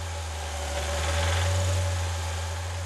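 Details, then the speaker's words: Engine running, heard from above: steady deep running with a dull knocking undertone; caused by excessive wear on connecting rod bearings. "Pete wasn't wrong that knock came from excessive wear on connecting rod bearings something like this from above the engine"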